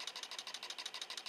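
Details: Homemade Joseph Newman-style pulse motor built from microwave coils, running on weak batteries alone without the capacitor. Thin, even electric ticking at roughly ten pulses a second, slow and light; running slowly on weak batteries.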